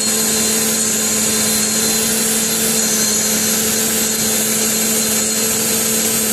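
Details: Steady, loud whine-like drone with a bright hiss over an even idle, first heard a few hours after an oil change with Engine Restore added; cause unknown.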